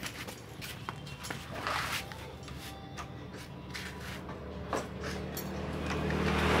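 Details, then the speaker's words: Suzuki Satria FU single-cylinder just after removing the exhaust camshaft decompressor, fitted with a used CBR exhaust and long header: runs fairly evenly, revs rising, softer note, earlier tek-tek ticking gone. "kenalpotnya saya pakai knalpot bekas CBR bekas CBR jadi suaranya lebih empuk enggak cempreng itu"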